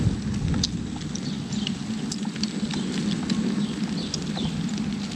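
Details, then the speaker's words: Begode EXN electric unicycle, 2150 km, riding after rain: sharp uneven ticks over tyre and road hiss; rider unsure if mudguard, water hitting mudguard, or bearings. "What's ticking? It's ticking, man. Is that the mud guard? Is that the bearings?"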